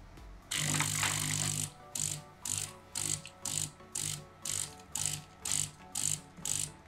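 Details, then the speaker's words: De'Longhi coffee machine after brew unit (infuser) replacement, test brew checked for leaks, none found: steady pump hum pulsing about twice a second with a hiss each stroke, even and regular; brew cycle runs normally. "patrzę jeszcze czy ta woda nigdzie nie leci tu nawet nie kapnęło więc jest okej wylewka jeszcze do czyszczenia oczywiście no ale działa"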